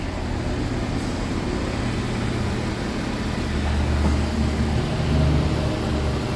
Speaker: So they didn't remove the exhaust. I definitely have an exhaust leak up here.